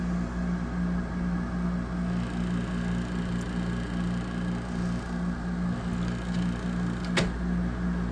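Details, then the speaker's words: 2008 Frigidaire 6500 BTU window air conditioner FAA074S7A (Electrolux), compressor running at coldest: heavy steady low hum with droning mid tone; owner suspects evaporator low on charge or restricted, not confirmed. "Splendid why is this so you can hear just how noisy this thing is that's about as cold as it'll get"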